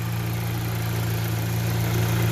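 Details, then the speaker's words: Ion Redline OTTP with rebuilt BRS fuel kit, first start after install: smooth even idle, no stumbling or ticking; no leaks, fuel pressure present though gauge bouncing. "Alright, you hear that? That is the engine running."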